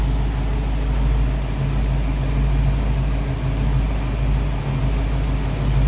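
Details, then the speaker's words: 1967 Pontiac Firebird convertible V8 with Edelbrock intake, four-barrel carburetor, HEI ignition, aluminum radiator and newer alternator, warm idle: a deep, steady, even burble with no ticks or misses; it runs smooth and sounds good. "Running smooth, sounds good."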